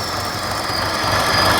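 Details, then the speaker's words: 2014 Buick Encore 1.4L turbo, over 200k, running rough with a P0171 lean code: a thin, steady hissing squeal over a rough idle. About 5 inches of crankcase vacuum at the dipstick is pulling air past the seals; the fix is replacing the valve cover. "case that's air sucking past the rear seal or the front seal so we got to replace this valve cover gasket to fix this I mean the normal a little bit of vacuum in the crank case is normal but not that much"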